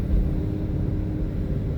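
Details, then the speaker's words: 2017 Mustang GT (S550) driven over a bumpy road after fitting updated BMR toe rod ends and a new alignment: low, steady road rumble with no clunks from the rear suspension. "Yeah, I got no clunks."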